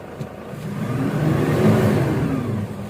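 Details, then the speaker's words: Toyota Hilux diesel with low power: one press of the accelerator brings on the check-engine light and revs hold at about 1000 RPM even at full throttle, rising slightly then sagging; limp mode. "Ayan, isang apak lang ng accelerator at nag-check engine na agad siya at 1000 RPM na lang yung RPM niya kahit naapakan pa natin ng todo."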